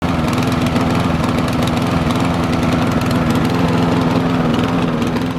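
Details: Lawn mower that suddenly began running badly: engine labours unevenly, firing beat stumbling and surging; rough running from incorrect spark plug gap.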